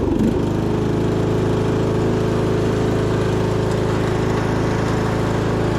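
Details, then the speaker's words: 1998 MTD Yard Machines lawn tractor, 15.5 hp single-cylinder with 42-inch deck, while driving: the engine thuds along under load with a slightly uneven beat, sputtering as it labours. "all right engine is sputtering a little bit under load"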